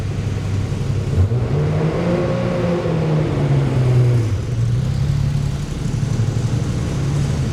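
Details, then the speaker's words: RWB Porsche 911 Targa with a freshly rebuilt 964 3.6L air-cooled flat-six, lightened flywheel and ITBs, after its first tune: clean start settling into a strong, steady idle with crisp, even blips and no misfires. Normal start and idle. "How's that sound? That's so nice."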